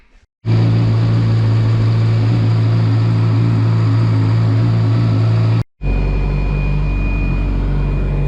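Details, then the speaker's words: Yamaha R6, about 2007, cold start after an overnight sit, following a service that addressed the owner's complaint of timing-chain clatter at cold start: it settles into a steady, even idle with no chain rattle and no worrying noises. "słychać Pracuje po nocnym postoju przy odpaleniu żadnych niepokojących dźwięków wszystko wszystko w porządku"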